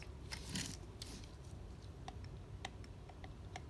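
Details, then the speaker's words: Solex carburetor from a Mercedes 190SL, handled on the bench: faint irregular clicking as the throttle is worked by hand, the shaft moving back and up-and-down; worn throttle shafts needing a rebuild, with one pre-atomizer also loose. "see that movement not the lateral but the back and up and down I keep forgetting where the camera is anyway time to to rebuild they just worn out but they look like they're in good shape otherwise"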